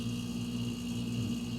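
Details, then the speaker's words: Roadside-found refrigerator stood upright, with a swapped relay, capacitor and overload relay, plugged back in after a couple of hours unplugged: compressor starts with a steady low hum, constant tone, no clicking; earlier it cut out after 30–60 seconds. "so it's starting that's that's a starting sound that's a really good sound"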